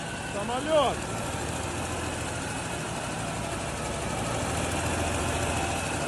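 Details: Small diesel engine after a full rebuild, started with a jump starter: it catches and settles into a steady, even idle with no knocking or misses. Sounds healthy.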